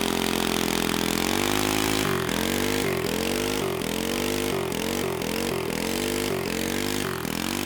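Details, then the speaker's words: Home-built Briggs & Stratton 5 hp flathead on a vintage mini bike has a cam, bigger carburetor, racing head, stiffer valve springs and a 3 hp flywheel. It stutters and cuts out about twice a second near top rpm. Owner suspects a rev limiter or the 3 hp flywheel/coil breaking down. "it seems to break up at high rpm and our best guess is that it's the three horsepower flywheel and coil that we used on here"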